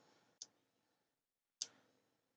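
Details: Thunderbird TB10 battery-powered portable strip-grazer fence energiser on the bench, no LED lit, battery corrosion suspected: two crisp sharp ticks about a second apart, mic held close, quiet room; unit pulsing normally, owner suspects wiring problems.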